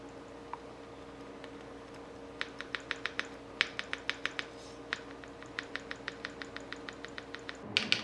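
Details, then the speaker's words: Tofu 65 mechanical keyboard spacebar, lubed with Krytox 205 g2 and foamed under the wires: light crisp tick on each press and release, about three a second; fixed by swapping the C3 Tangerine switch for an Aqua Rose Red. "As you can hear here, when I move the spacebar up and down, there's a slight tick."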